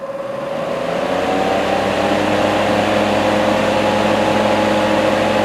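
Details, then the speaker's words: Portable car fan bought in 2013, after teardown, cleaning and WD-40 lubrication of its formerly noisy motor: steady, even mid-pitch hum with no rattle or scraping, much quieter than before. Normal fan motor running. "The motor is much quieter than what it was before when I lubricated it."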